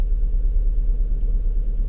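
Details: 2007 Lincoln MKZ 3.5L with misfire complaint, stalls when put in gear: uneven lumpy low idle with recurring dip in the beat, suspected cylinder 2 misfire.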